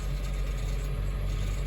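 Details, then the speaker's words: 2006 Honda CR-V, about 152,000 miles: steady low idle rumble with faint loose buzzing rattle; rattle not yet diagnosed. "I'm just kind of perplexed because it's got 152 pounds but it's it sounds like crap right now that rattle it's right I need to have it looked at"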